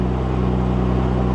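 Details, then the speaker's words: Ford Mustang at auction preview, 83,000 miles, with an airbag light on: a steady, even idle with no knocks or misses, and it runs great. Oil pressure reads 45 psi and voltage is good. "Well, she runs great."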